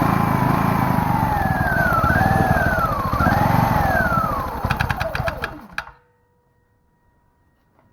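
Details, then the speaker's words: Generator engine that sat for years in a pumphouse with mice inside, running with the air filter off: revs surge up and down unevenly, can't hold idle and stalls; owner suspects it runs rich and needs the choke. "want to idle very much i'm not entirely sure what that's all about"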